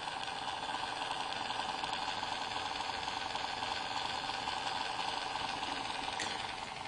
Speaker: this is my power book it makes a lot of noise it's all coming from the fan right over here